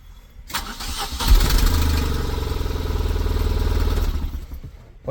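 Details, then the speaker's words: Tata Nano, about 100,000 km, long morning cranking with code P0336, after crankshaft position sensor replacement: brief crank then fires straight away into a smooth even idle; normal start. "തന്നെ start ആയിട്ടുണ്ട് ഇനി എന്തായാലും നാളെ രാവിലത്തേക്കും കൂടി check ചെയ്തിട്ട് നമുക്ക് വണ്ടി കൊടുക്കാം"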